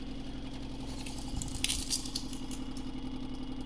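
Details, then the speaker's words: Vibratory pan apparatus, motor held around 11 Hz natural frequency while more power is added, displacement nearing an inch: fast rhythmic rattling over motor hum, pan shaking hard at resonance; vibratory pan resonance. "we'll stay around 11 hertz it doesn't really speed it up much at all and you can see i get much more let's see how far i can push it"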